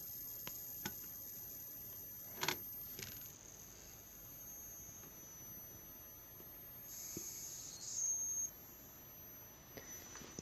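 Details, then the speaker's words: Push-pull driven six-layer coil on gapless nickel-zinc ferrite pot core with resonant inductor: thin steady high whine with brief louder squeal near end, squeaking and crackling with no gain in lamp power; high-pitched squeal. "вот какой-то залипание происходит такой эффект бестолковый как бы скрипит трещит"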